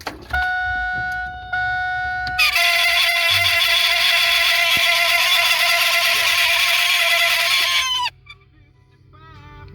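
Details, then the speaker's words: WS6 Trans Am blower motor removed and run on the bench: steady high-pitched squeal for several seconds then winds down; it was quiet earlier, so the blower motor will be replaced. "It's weird. Before I was running it and it was totally quiet. So I guess we're getting a new blower motor."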